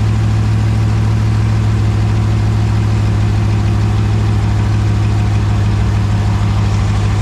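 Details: 2020 Dodge Charger Hemi V8 at 38,128 miles, idling after an oil and filter change with the oil still about two quarts low, checked for leaks: a deep, steady burble with even firing and no ticks or knocks. Idle is normal.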